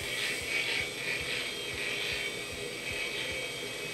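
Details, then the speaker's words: Hard drive on A2090a SCSI controller in Amiga A2000: high whine with soft uneven ticking about twice a second, computer waiting for it; drive suspected failed. "think this hard guys gonna work it's making some nasty noises the computer seems to be waiting for it to turn up to include up so I guess this hard drives toast"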